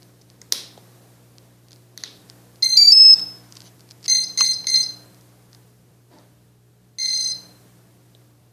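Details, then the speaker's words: Autonomous quadcopter powered on by its switch, propellers removed. Short clusters of high electronic beeps as the flight controller lights come on and the motors twitch slightly; a normal startup sequence. "in order to turn this on I just have to flip the switch and you'll hear a series of beeps the lights on the Rd pilot will light up and the motors will twist just a little bit"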